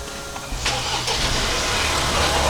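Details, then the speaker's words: Salvage 2023 Ford Bronco from Copart, first start. A short crank, then it catches cleanly and idles smoothly with no pinging or ticking, and the battery is charged; healthy. "Not only did it start, it didn't ping or tick or anything, and the battery's charged up."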